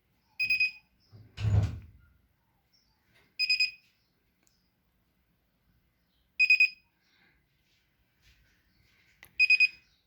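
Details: Whirlpool Duet washer WFW9150WW01 won't power on: a cluster of about four high beeps repeats every three seconds; owner suspects a bad control board, cause unknown.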